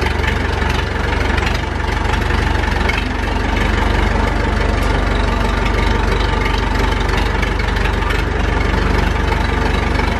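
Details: Massey Ferguson 165 tractor, four-cylinder Perkins diesel, started after sitting, run yearly to keep it operational; not yet warm. Steady, even diesel clatter at a firm idle, about four pulses a second, no misses or knocks; sounds healthy.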